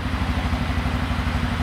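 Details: 2007 Suzuki King Quad single, idling after replacing an old spark plug that gave very weak spark, airbox still off: steady, even low thumping with no misses or stumbles; normal idle.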